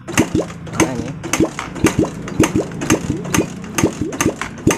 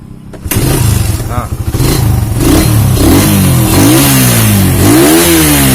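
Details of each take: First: Suzuki Satria FU 150 that won't start though spark, fuel and compression check normal, valve clearances set: kicked about twice a second, turns weakly, never fires; no suction or fuel pushed at carburetor, suspected stuck carbon-fouled rings or leaking intake/exhaust valves. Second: Suzuki Satria FU 150 that wouldn't start despite normal spark, fuel and compression, after head and block reassembly: cranks, catches at once, blips and settles smoothly with even beat; cause was carbon-stuck piston rings.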